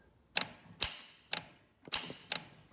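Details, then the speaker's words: John Deere 4600 diesel tractor with a no-start issue around 32°F after thermistor replacement: five crisp sharp clicks about half a second apart; fuel shutoff solenoid now pulling in properly each time, letting fuel flow to the injection pump. "solenoids quick and clicking every time now so that means it's opening it up allowing fuel to go flow through the injection pump and along the tractor to start"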